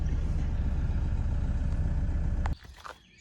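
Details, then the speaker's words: 2005 Toyota Hiace 2.5 D4D turbo diesel, first start after a timing belt replacement: settles into a steady, even low clatter at idle with no knocking or slapping, then shuts off; a normal, healthy idle. "now for the real test that sounds pretty normal so think we've done"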